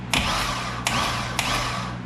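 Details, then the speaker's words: 2005 Chevy Corvette built LS engine, stock starter reinstalled, triggered via relay with jumper wire: three sharp metallic clanks over a steady hum; starter engaging and disengaging cleanly, unlike the old starter. "all right guys we're gonna trip through relay with the jumper wire you guys could hear that that disengage clanking"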